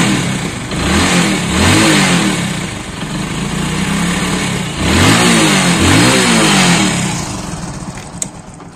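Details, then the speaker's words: Shine/Splendor Pro-type bike that missed and jerked when cold, after refitting the cut part of a non-adjustable component: picks up cleanly on each throttle blip and settles to a steady idle without missing. "अब गाड़ी को start करके देखेंगे चाबी स चन करेंगे तो गाइस पूरी तरीके से रेस ले रही है"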